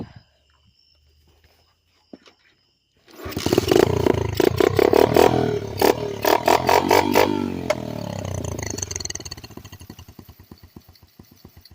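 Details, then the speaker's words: Dirt bike just fitted with new knobby tires, cranked with fuel turned on but tank out of gas: fires and revs raggedly, firing slows and thins until it dies; it usually idles; engine stalling from fuel starvation. "Oh yeah, guys, I forgot it's out of gas, but it usually idle."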